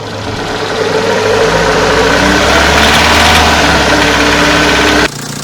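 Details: Engine knock: loud engine revved sharply at the rpm where it knocks, a harsh clatter riding on it under load, then shut off near five seconds.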